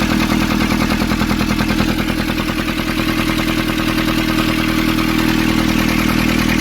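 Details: Nissan Urvan ZD30 diesel after a no-start repair in which a soot-clogged part was cleaned and refitted: even idle clatter, about three beats a second, steady and regular throughout; idling smoothly and running right.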